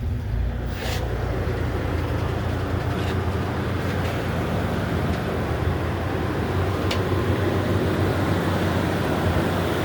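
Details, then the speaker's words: Smooth, steady low idle with no knocks, misses or ticks on a Nissan just after an oil change; it had started acting a little funny nearing the oil change after about a year of sitting, little driven. Normal idle. "All right, that sounds really smooth. Yeah, it was starting to act a little funny as we were getting towards the oil change period."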